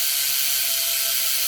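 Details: S&M Credence BMX freestyle bike with race bearings in the hubs and 25-9 gearing: fast, even buzz of ratchet clicks with a bright hiss while the wheel coasts freely; the rear hub freewheel sounds healthy.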